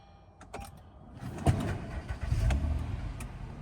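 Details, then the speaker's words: Partially repaired Honda at a Copart auction, quick restart: brief crank, then the engine catches promptly and settles into a low, even idle with no knocks; no apparent mechanical issue. "Started right up. There is no mechanical issue to this one, in my unprofessional opinion."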